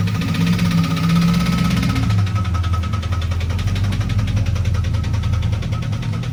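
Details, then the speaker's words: Turbo 5.9 Jeep Grand Cherokee daily driver, cold start: idle comes down from high and settles into a steady low idle, even clatter with no knock or miss; normal healthy idle. "Cold start, running diesel. Jesus. Still sounds good."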